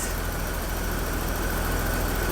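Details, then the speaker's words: BMW Alpina B10 Biturbo E34 after its first service, including the fuel filter: a smooth, steady idle with no valve clatter, only the distinctive injector clicking; the valve train sounds quiet and healthy. "You can't even hear the valve train anymore. I don't know if we paid close attention when I fired it up the first time, but I said it sounds good. But now, I mean, it's really good."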